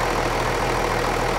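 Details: 1994 Dodge 12-valve Cummins diesel, first start after sitting over five years, oil pressure above 40: short stretch of even idle with smooth low beat, no knocking or rattle; normal idle.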